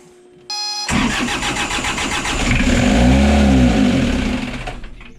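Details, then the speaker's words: Isuzu C240 60hp diesel (stamped QD60) in a 1985 Outer Reef 26 trawler, first start in 10 years after fuel-system bleeding. Starter whirrs briefly, then the engine catches into a steady, rough-edged clatter before easing off; healthy start. "yeah but yeah that was worthwhile how the engine actually ran so well"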